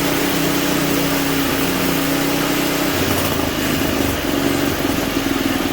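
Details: Simplicity 560 snowblower engine after a tune-up, testing the auger: new oil and spark plug, clean carburetor, electric and pull starters fixed. Loud steady drone at constant speed with a brief pitch dip, smooth and even. Running as it should.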